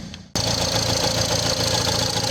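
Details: Nissan Qashqai diesel after fuel filter change and priming by cycling the ignition: engine catches at once and settles into a steady, even diesel clatter with no misfire or hunting; runs normally.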